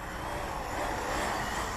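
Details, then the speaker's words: HPI Vorza S Flux truggy on a 6S pack with a custom 21 V cutoff, motor about 70 °C, bashing on wet ground as the pack nears cutoff: steady motor and drivetrain roar with an uneven, rough stutter. Cause unknown. Motor stuttering at low battery. "you can hear it don't know why it does that it's usually just cuts out but now it it's kind of a stripping it or something"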